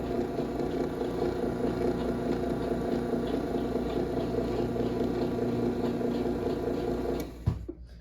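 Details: 2010 Chamberlain Whisper Drive 248739 1/2 HP belt-drive garage door opener, recorded right next to the motor running down: steady hum, soft even whir, no grinding or knocking until stop; normal running.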